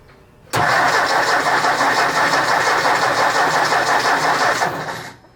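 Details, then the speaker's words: 1964 Ford 4000 Rowcrop diesel tractor, first start after restoration: even cranking at roughly three beats a second for over four seconds with no firing while bleeding air from the injector lines, loosened lines being checked for diesel. "Now these other ones, they're probably about at the same spot. So I'm going to crank it just a little more."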